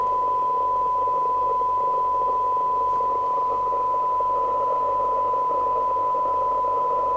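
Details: Rotel RVC220 (1981 Cybernet 134) UK FM CB radio after extensive repair, on a weak-signal receive sensitivity test from a signal generator (about 0.25 µV for 12 dB SINAD): steady clean test tone over soft hiss, no warble or dropouts; receiver sensitivity normal.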